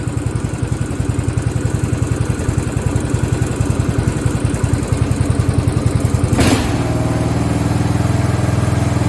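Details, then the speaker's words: Craftsman riding lawn tractor (part 917.273760) single-cylinder engine after carb and fuel fix, now run without the fuel filter that was starving it: steady, even thumping with no stumbling or surging; sounds a lot better, normal idle. "So my fingers are crossed. Woo! That sounds a lot better. Well, how about that?"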